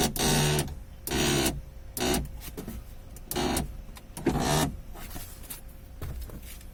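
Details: Ford Focus power window with door panel removed: short whirring motor runs about once a second with dry scraping drag; regulator pulley binding with dust, treated with WD-40.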